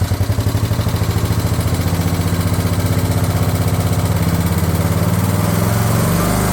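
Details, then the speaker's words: Craftsman LT1000 riding mower/tractor running after fitting a different-style fuel solenoid with a new crush washer on the carb; steady, even low single-cylinder thump with no misses or surging, sounding healthy. "All right, I put a new crush washer on this fuel solenoid and I put a fuel solenoid on. So, let's see how it runs."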